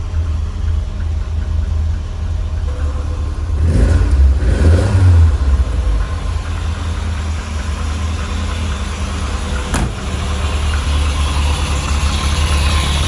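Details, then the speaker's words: Lotus Elite revived after ten years in a barn, after cleaning its carb chambers and adding fresh fuel. Still cold, with good oil pressure and charging. A steady, even, low idle with one brief throttle blip and no knocks or misses. "You know, I'm so glad I just tried that one last thing before I finish the episode. How smooth is that?"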